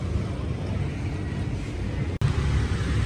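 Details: Piaggio Liberty 125i scooter after clutch rework, air filter replacement, injector and throttle body cleaning (previously ran weak and vibrated): steady even low drone holding speed, no knocks, misses or rattles. Normal running.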